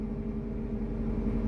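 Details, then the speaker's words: Abandoned Mazda 323 Familia, B6 twin-cam conversion, first start in 5 years, oil and water checked; catches almost instantly and settles into a smooth steady low idle with no knocks or misses, sounding healthy. "it actually sounds pretty good. Not gonna lie."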